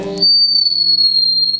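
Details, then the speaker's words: Fryette Power Station guitar amp attenuator with volume turned down while the amp stays loud: a sudden piercing steady high squeal as the vibrating output transformer's magnetic field feeds back into the guitar pickups; harmless. "the output transformer is still going to be vibrating with the magnetic field sauce enough to make it squeal like this"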